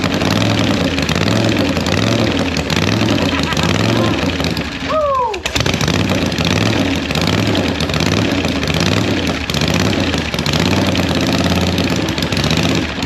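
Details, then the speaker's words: 1976 Harley-Davidson Liberty Edition Ironhead V-twin during rebuild: steady, fast lope well above normal idle that won't settle; high idle. "it took off with me when I first cranked it up but I had to I guess I had the idle set screw here a little bit too much"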